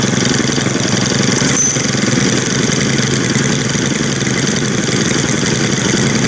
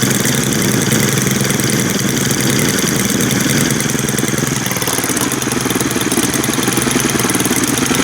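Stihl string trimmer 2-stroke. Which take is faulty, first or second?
first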